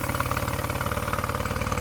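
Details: Mercury 9.9 outboard bought second-hand and non-running, back after 8-9 weeks waiting on parts from abroad, with new plugs, first run in a test bucket: quick, regular firing pulses at steady pitch, no stumbles or misses; sounds beautiful, normal idle.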